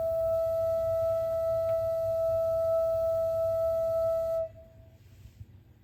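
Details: Gas water heater just over a year old, expansion tank at 50 PSI: steady pure whine near 650 Hz only while the burner fires, not pressure related; stops immediately when burner turns off.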